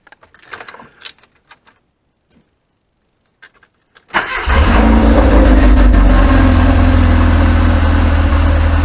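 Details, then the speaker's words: Classic Mini started after catalytic converter broken stud replaced and welded: a few light clicks, then the engine catches cleanly and settles into a steady, even run with a brief smooth rev; healthy. "it sounds lovely, doesn't it? That's me upset the wife, kids, neighbours, and the house now stinks of fuel for the evening, so I'll be in trouble."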